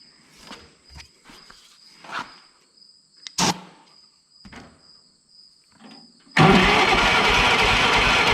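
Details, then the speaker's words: Old Yazoo commercial zero-turn mower, 76-inch deck, sat in a barn for years, fuel visible in carb: starter spins engine steadily for two seconds without firing; no spark found at ignition. Cranks but will not start, no spark. "Yeah, you see how this isn't lighting up? There's no spark. So we don't have any spark."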